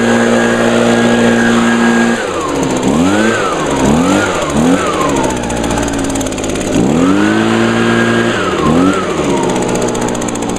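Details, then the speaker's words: 2009 Echo PB 251 handheld leaf blower, owned six years, on a tiny bit of gas, started on choke after priming; crisp buzz climbing smoothly through several quick revs and settling back cleanly. Normal running. "all right yep still runs as good as it did six years ago"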